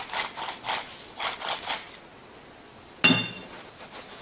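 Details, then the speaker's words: Suzuki Jimny JB43 old front wheel bearing, removed and turned by hand. Dry gritty rasping in short bursts, then a clunk; a lot of play, worn balls. The new SKF bearing is silent with no play. "Alors, pour pouvoir comparer, ça c'est l'ancien roulement. On entend, il y a vachement de jeu."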